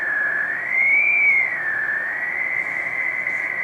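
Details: Switching power supply for CCTV (voltage-doubler input, 12-14 V output) heard on HF receiver around 80 m band: loud whistling tone wavering slowly up and down; RF interference.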